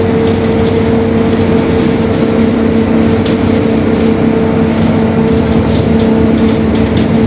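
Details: Rear differential growl on a 2021 Marcopolo Torino S urban bus, Mercedes-Benz OF-1721 Bluetec 5 diesel chassis, lengthened: a steady mid-pitched drone holds over diesel and road noise while cruising, consistent with a worn differential.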